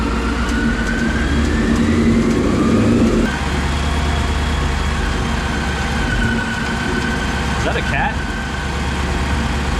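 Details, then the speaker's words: Ford Mustang GT (S197) on lift, idling: loose uneven metallic rattle over the exhaust note, suspected exhaust leak found instead to be catalytic converter internals coming apart inside the cat. "Cat's blown? It's coming from the cat. Huh? Yeah. It's not a leak, it's in the cat."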